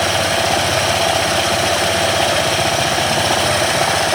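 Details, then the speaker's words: Honda ADV 160 scooter after its first DIY CVT cleaning, idling with the CVT cover off for a check before refitting. Steady, even idle with a light belt whir and no knocks or rattles. CVT runs okay. "So papaandarin natin ulit, then observe natin. Observe natin bago natin balik yung cover."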